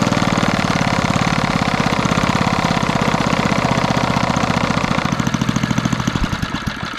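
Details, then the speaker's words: 1964 Wards Power Kraft 110 V 1250 W generator with a Briggs & Stratton engine, about 3 hp: steady, even popping beat holding speed without stumbling after a carburetor mixture adjustment; normal running. "There we go. Just needed a little bit of adjustment, because otherwise the generator will never idle, so you don't have to really worry about that circuit on these ones."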